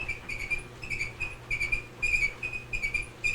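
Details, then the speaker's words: GE DWSR483EB1WW electric dryer running a timed dry cycle on medium heat: a high chirping squeal pulsing with the drum's turn, from glides worn through so the plastic front bearing rubs on metal. "now that noise sounds like it's coming from her front bearing there's some Glides on it"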